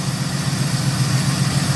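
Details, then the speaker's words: 1971 Oldsmobile 98 V8 after a new HEI module and 20W50 oil, not yet hot, charging at 14.3 V. Deep steady idle with even pulses; the earlier lifter tick has subsided and it sounds healthy. "With that 20W50 the lifter tick seems to have subsided."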